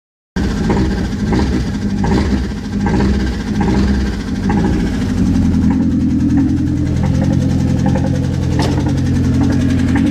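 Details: Mazda engine idling steadily after sitting unused for a while, with a faint irregular tapping a little over once a second over the engine note; knocking noise, cause not yet clear.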